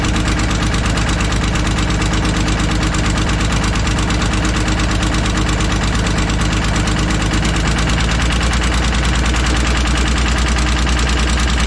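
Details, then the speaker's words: Kobelco SK250 excavator, believed 2006, diesel, before repair: sharp uneven puffing ticks at a steady beat on idle, like a missing cylinder; exhaust leaking at the manifold, manifold to be replaced with new gaskets. "so yeah as you guys can see and here it ain't good let's get that manifold changed out"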